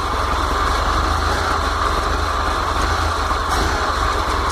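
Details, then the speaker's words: VW T25/T3 Devon camper on Weber IDF carbs with no choke, fresh cold start: even, steady idle with no stumbling, knocking or hunting. It moves cleanly from the idle circuit into the main jet circuit. "That's the idle circuit. Then it goes into the main jet circuit. Spot on."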